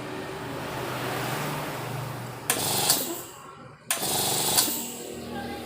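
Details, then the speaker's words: Used oil-free (oilless) air compressor being checked before purchase: unloader solenoid energised gives quick chattering clicks and air hiss from its small vent hole when released; solenoid working normally. "Nah, terdengar ya suaranya cedik-cedik gitu."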